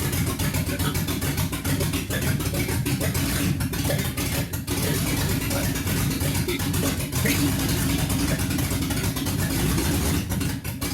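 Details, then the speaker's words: 1969 Ford Mustang 302 small-block V8 restoration, first start after possible flooding: lumpy, uneven idle with the beat stumbling and dropping out; owner suspects two cylinders missing and timing off, cause unconfirmed; engine misfire. "yeah I think we're missing a couple cylinders oh my God it's started there we go woo it sounds like a good Rumble up"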